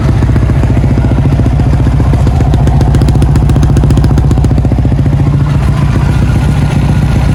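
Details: Yamaha Y16 motorcycle started after sitting a long time: fast light ticking, about four a second, over a lumpy single-cylinder idle; owner suspects loose tappets needing adjustment, unconfirmed.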